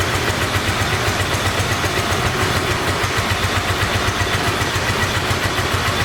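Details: 1986 Honda VT500 Shadow V-twin, revived after years sitting, idling while warming up: uneven lumpy loping idle about three or four beats per second; rear cylinder still not firing, possibly ignition coil or mice-eaten coil wire.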